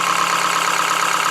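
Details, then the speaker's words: Wood lathe at low speed turning shop-made plywood Cole jaws: rapid, even clicking that repeats each revolution from the uneven plywood pieces, stopping as it spins down. "well that clicking is the unevenness of our pieces of plywood so there are circles now"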